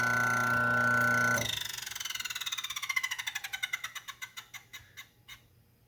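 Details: DF83 coffee grinder burr alignment check: motor hum cuts off, then light metallic ticks slow from about three per second as it coasts down at burr touch point; larger jump to lock point suggests poorer alignment than Lagom P64.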